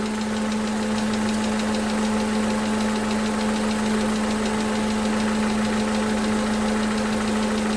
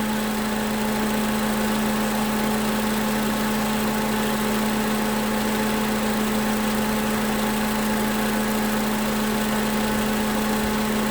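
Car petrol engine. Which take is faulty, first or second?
first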